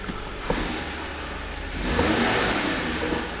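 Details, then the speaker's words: BMW F15 X5 xDrive35i with N55 engine after misfire fix with new NGK spark plugs and temporary MAF disconnect, no codes: a light throttle blip rises smoothly and settles evenly, no stumble or popping; firing cleanly on all cylinders. "There it is, running buttery smooth. We'll go back and read the codes again. No codes. Give it a little gas."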